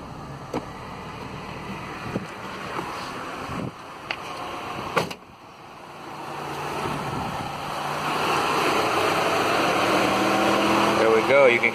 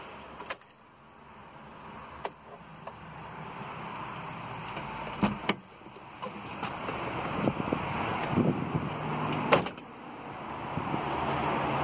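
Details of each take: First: 2000s Mitsubishi after replacing the cooling fan controller, engine running: clicks then a rising strong whoosh as both fans spin up with AC on, stopping when AC is switched off; fixed. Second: 2000s-era Mitsubishi, key on: both radiator fans run whenever ignition is on, whooshing and changing speed erratically; failed cooling fan controller, about to be replaced.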